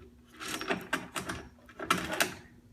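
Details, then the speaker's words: Chamberlain LiftMaster 1/3 hp garage door opener, door closed in cold weather, triggered by remote, heard from a ladder: a few dull clunks and clicks but the motor never starts; seems bound up, owner fears a locked motor. "sounds like it's bound [Music] up and I'm want to see if I can up top here I got the clicker I'm going to see if I can diagnose what's uh's going on with this just seems really bound up"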